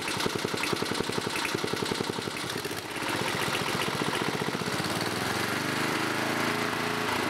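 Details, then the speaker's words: 1987 11HP Briggs & Stratton single-cylinder with electronic ignition, running on an old red carburetor at fast idle: faint light tapping under the exhaust beat; the owner suspects a slight rod knock, and the engine also smokes. "Well, guys, it runs. Seems like it's got a little bit of a rod knock, though. But other than that, it seems to be running pretty good."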